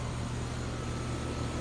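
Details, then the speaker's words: Comfortmaker outdoor AC unit after a failed capacitor was replaced on a no-cooling call: steady low hum with even fan whoosh, no rattles or cycling; running normally. "let's see if she starts up all right we've got it back going"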